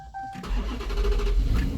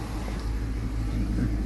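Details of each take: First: 2015 Dodge Charger with hard-start complaint, before fuel pump replacement: short crank, catches, then coughs and runs unevenly fighting to stay alive; fuel pressure bleeds down quickly at shutdown; fuel delivery fault. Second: 2015 Dodge Charger with hard starts, after fuel pump replacement, fuel pressure now holding a little over 60 psi: steady, even low rumble with no misses, stumbles or knocks; idles smoothly and healthy.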